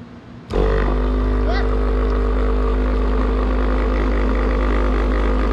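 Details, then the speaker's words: New GPI fuel transfer pump (replacing a failed unit), being primed through a green extension hose: it kicks on abruptly and settles into a steady, deep, even hum with no surging or rattle. A small leak, but it holds pressure. "All right, well, we got a little leak right there, but she's still pushing pressure, so we're gonna call that a win for right now"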